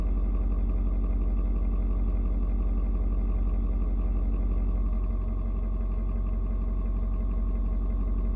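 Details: Ford Super Duty 6.7 diesel, cold start at 56°F. Steady, even clatter at raised cold idle, the tone shifting slowly as it adjusts fueling to the outside temperature; nothing abnormal. Normal cold high idle.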